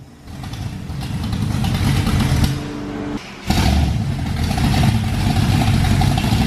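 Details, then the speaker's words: 1968 Camaro with a 502 big-block crate motor, first dyno pulls under load: it pulls hard, but the note surges and stumbles and is inconsistent throughout the pull, audible from outside. It needs its timing set. "You can see how Yeah, dude, inconsistent it is the whole time, and I can hear it doing that. Like from the outside, I can hear it."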